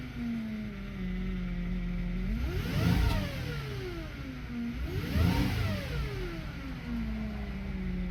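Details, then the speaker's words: 2010 Chevy Traverse after a valve cover replacement, engine revved twice: a whine rises and falls with revs, suspected noisy power steering pump, not confirmed; the sensor code did not return, and smoke and an oil smell were noted. "see if code comes back the power steering pump sounds awful"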